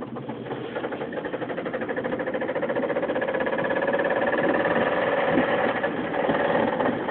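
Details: 2005 Mazda 3 after a burnout failed a connecting rod bearing: fast steady metallic knock about four per second hammers over the engine while driving, with some power loss; rod knock.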